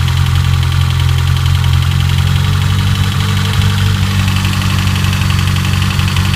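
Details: BMW S14 engine at idle: steady idle with loud, busy mechanical clatter over low rumble; timing chain suspected, not confirmed.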